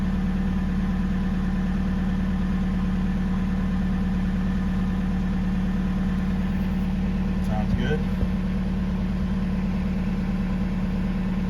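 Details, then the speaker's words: 2005 Jetta TDI just after a new lift pump was installed: it starts quickly with some exhaust smoke, then settles to a steady, even diesel idle clatter with no misses or hunting; a healthy idle, and it seems to start quicker now. "perfect so that's working good fuel gauge still works for a start seem to start pretty quick scared me smoke coming in with from my exhaust starting this idling"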